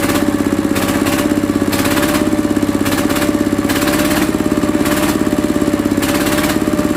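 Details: Mitsubishi single-cylinder diesel that had diesel leaking into the oil sump and white smoke, after replacing the pump plunger, pump valve and pump seal: steady thump at an even idle, regular firing with no misses.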